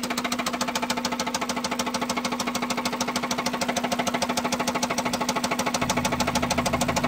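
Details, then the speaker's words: Honda Civic EP3 Type R, K20 engine, oil light constantly on, after concrete was poured into the engine: hard, even knocking about three times a second over a thin idle hum; a badly knocking engine with serious internal wear. "okay so I've just poured some concrete into the car and so far nothing the red oil light is constantly on now which was more than it was before and it still sounds really terrible"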